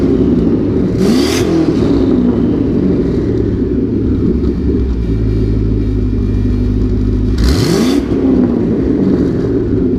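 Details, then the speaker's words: LS2 V8, about 112,000 miles, fully warm (oil 90°, oil pressure 30 psi), hood open: two quick throttle blips that rev up cleanly and drop back to an even idle, no knock or rattle, healthy. "pop the hood again so you can hear every every noise in here is 100% normal"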